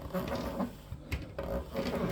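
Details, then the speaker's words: Electrolux PerfectCare 800 EW8H458BP tumble dryer, about 6 years old: the drum turned by hand gives uneven rumbling knocks and scraping each half turn from a broken drum support roller. "wyciągamy te rolki wymieniam oczywiście pojedynczo i wracamy druga jest zepsuta Zobacz widzisz też jest rozwalona dlatego tak hałasował"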